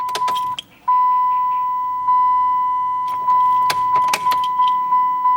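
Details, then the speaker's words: 2007 Dodge Caliber no-crank: key turned, only dash chime, lights and gauges, a few clicks, no starter whirr or cranking at all; traced to a faulty starter relay. "as you can see it doesn't even try to turn over no turning"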